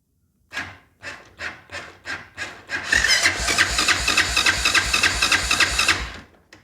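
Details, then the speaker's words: Honda Foreman ATV with a no-start, starter jumped directly from the battery positive: strong, even cranking at about three to four pulses a second with no dragging. Starter is good; suspected bad connection or relay, possibly weak battery. "all right well that tells me the starter is good"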